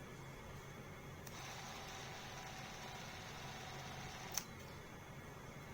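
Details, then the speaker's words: Bolex D8L 8mm clockwork movie camera after cleaning, lubrication and overhaul of the spring motor, wound with full 22 half cranks: soft even whirring, steady speed, no catches. Finding: normal clockwork run after overhaul. "Okay, can you tell how nice that sounded? Much smoother. Okay, now at 12 frames per second. Very nice sound."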